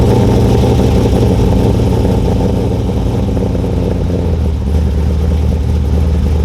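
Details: 2002 Trans Am with freshly installed LS1 383ci stroker, untuned, cam sensor problem fixed, cold start: deep, steady V8 rumble with an even, slightly choppy lope at cold idle, no knocks or ticks; engine sounds healthy.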